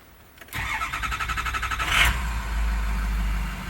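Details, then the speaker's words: 2007 Ford F-250 6.0 Powerstroke diesel, formerly crank-no-start when hot, after repairing the failed standpipe/dummy plug: brief two-second crank, catches immediately and settles into a steady even idle; possibly a little air left in lines, but runs exactly as it should. "but I can tell you right now it's running exactly how it should. It fires off in just a second or two."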